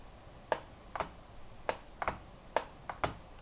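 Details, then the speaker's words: Right trigger on a ROG Xbox Ally X handheld, worked repeatedly: irregular plastic clicks about twice a second as it wiggles, rattles, catches and sticks; one mounting post/stem broken off, snapping further; fixed by replacement triggers. "And right trigger, as you can see, it wiggles a lot because one of the posts for this, one of the stem is broken off, and that's why it wiggles so much. And it also gets stuck a lot."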